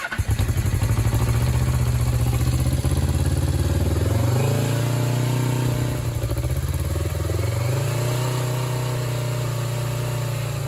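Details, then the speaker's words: Suzuki GS500 restarted after fuel leaked from a tube because the engine had flooded: twin settles into a steady, slightly uneven idle with a few blips, slowing as it seems to purge the flooded fuel; cause suspected. "Yeah, it uh definitely slowed down. So, I'm thinking that it's purging all the all the uh flooded fuel"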